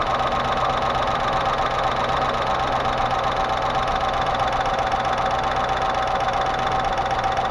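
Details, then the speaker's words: Range Rover Classic 3.5 V8 at idle, a constant dull tapping that tracks engine speed; hydraulic lifters suspected but all checked with no play, intake manifold off, gaskets replaced, and radiator soldered, source still unfound. "а продолжаем искать стук гидрокомпенсаторов нашли в общем только одно все гидрики проверили они никто нигде не болтается"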